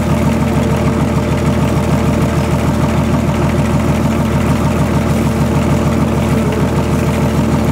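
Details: BMW/VM D190 marine diesel at first start after a rebuild following a broken valve, with a VM 2.4 liner, piston and head, idles with a low, slightly uneven thump about once a second; air in fuel from leaking injection pump front seal.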